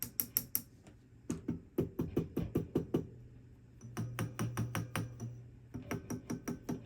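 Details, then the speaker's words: Orange Rocker 30 tube amp on the dirty channel: tapping the chassis sets off short hollow rings and bongs, a screech-prone sound from microphonic EL34 power tubes that need replacing. "See? She wants to screech. These are microphonic power tubes."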